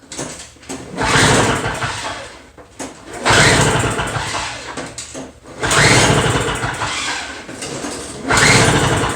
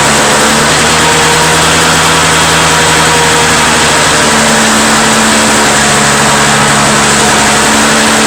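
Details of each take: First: Two-stroke Toro snow blower, fuel in tank, key on, primed, choke out: three recoil pulls about 2.5 s apart, only whirring, never fires; no-start later blamed, probably, on a restricted carburetor jet. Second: Two-stroke Toro snow blower: buzzing steadily at fast even speed, no misses or surging; owner suspects plugged jet caused the no-start, now runs cleanly.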